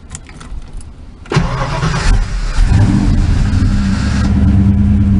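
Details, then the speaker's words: 1988 Mustang GT after fixing wiring surging issues: catches first try and settles into even, steady idle with no stumble or surge; normal start and idle, all sensors working. "I think it's nice sounds good all the sensors are working since they're right there got it working"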